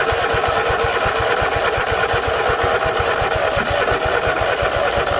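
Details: 50-inch Cub Cadet zero turn that sat a while, tank low, pops and chugs unevenly on starting fluid then fades; owner suspects a failing fuel pump or clogged carb.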